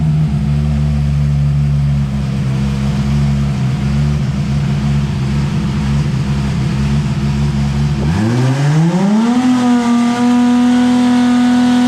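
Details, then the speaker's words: Dyno pull on a turbo car at FuelTech: a heavy drone that climbs smoothly and holds strong without stumbles, noted at 6,300 RPM; healthy full-power pull. "That was all right. That sounded pretty good, huh, Gordo? $15.23 at 6,300 RPM. That's not bad."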